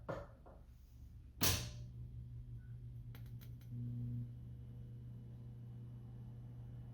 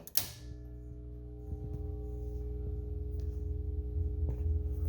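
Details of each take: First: Atari Asteroids arcade cabinet powered up after recapping work: sharp switch thump, steady low mains hum and a brief tone; normal power-up. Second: Atari Asteroids arcade cabinet power supply switched on with game board and monitor disconnected: thump at switch-on, then steady mains hum with a faint buzz slowly swelling; buzz probably from lack of a signal, unconfirmed.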